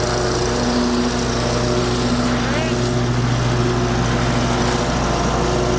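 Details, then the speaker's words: Ferris FW35/FW45 commercial walk-behind mower, blades engaged, after replacing the deck belt tensioner spring: much quieter, faint once-a-second rub remains; owner suspects a pulley, its bearings, or the engine shaft. "So what it was at first though, these were real loose. Something was causing it, but it's way quieter now."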